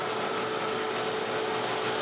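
Steady, even hiss of the dresser across the wheel with no skipping or pulsing; wheel is running true.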